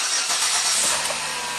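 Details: 2008 Saturn Vue V6 with a year-long low-voltage/dead-battery problem, after batteries and alternator were replaced and a code scan showed no new codes: short crank catches quickly and settles to a steady, even idle, a healthy start. Charging reads 14.5 V afterwards.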